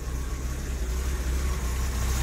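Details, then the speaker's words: Series 1 Daimler (Jaguar) 4.2-litre with new electronic ignition, warmed up: low, steady idle with even beat and no knocks or misses, running beautifully; normal warm idle. "Oh, she's running beautifully."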